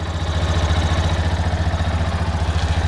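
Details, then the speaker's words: Yamaha Fazer 250 motorcycle after repair of an engine noise: steady, even low thump at about 214 beats a minute with no ticking or rattle; clean, healthy idle after the fix. "vamos ver agora como ficou o barulho do motor essa moto ela está com 33 1.336 quilômetro rodado e olha o barulho que ela está fazendo agora"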